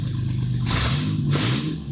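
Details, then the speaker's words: 1998 Mercedes-Benz, first start after its catalytic converters were cut off: short, raspy revs with a loud, hollow exhaust bark, running without converters; loud exhaust from removed catalytic converters. "I came in this morning with this on blocks. Somebody stole the catalytic converters off of it."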